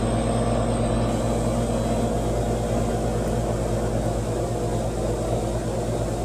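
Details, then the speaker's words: 30-year-old AC condenser fan motor just re-oiled with light mineral oil after chirping returned about 21 months on: smooth, steady low hum with no squeak, getting quieter as the oil works in; normal running. "well no squeaking or tripping so far and i think it actually sounds quieter getting quieter as i stand here probably that oil working its way in"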